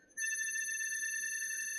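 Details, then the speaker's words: NSE BLDC motor controller being tuned for position mode: torque-loop proportional gain set too high gives a shrill, steady high-pitched whine starting abruptly at motor start; gain is then reduced. "you can actually hear that something is wrong. So definitely that we go too high on this one."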